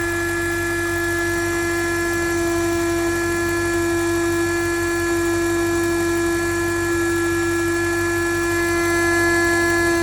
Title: BMW N62 4.8 buzzing hum sound